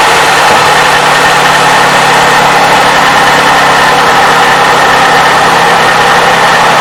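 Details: 2007 Toyota 3.5L with 170,000 miles, idling after graphene oil additive treatment: even steady hum with no ticking or tapping from the top end. Owner says he has never heard this engine so quiet.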